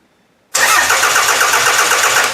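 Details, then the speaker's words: Toyota engine on a demolition derby car, spark plug grounded on the valve cover for testing: starter cranks with a steady whir but never catches; no spark right after the computer is switched on, spark only appears after about 30 seconds; new coil packs and crank sensors haven't fixed it. "so this is what's confusing me I don't have spark right away so if I turn the computer on I don't have spark but if I wait 30 seconds I just get spark"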